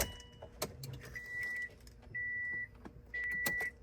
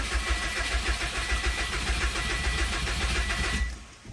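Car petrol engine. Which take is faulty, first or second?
second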